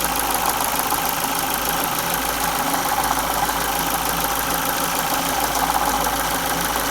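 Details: 2002 Ford Focus Mk1 Zetec SE Sigma 1.6 at 205k, timing belt replaced at 168k seven years earlier: steady idle with fast light metallic rattle about three a second from engine front; owner suspects timing belt tensioner, unconfirmed.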